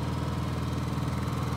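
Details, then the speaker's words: Honda EU7000 fuel-injected inverter generator, restarted after tripping its breaker at 7700 W, breaker flipped to drop all load: even, steady low hum with a fast, regular pulse, no misses or knocks; idles smoothly unloaded. "we flip this breaker and it will take all the load on foot there we go that's no load that's my little Honda fuel-injected 7,000"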